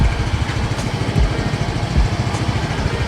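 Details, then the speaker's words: Used Yamaha Mio M3 scooter, 39,000 km, started with a single crank: quick, even low putter at idle with steady beats and no knocks or rattles; the engine sounds healthy. "Andiko , der Motor ist wirklich gesund, nur einmal ankurbeln, versuchen wir, gesund soll es sein"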